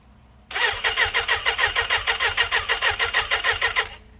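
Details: Lowered 2006 Suzuki Katana, throttle worked by hand: engine runs on its own but pulses unevenly, surging about three times a second instead of settling; carburetor rebuild criticised as poorly done, cause not confirmed; rough running.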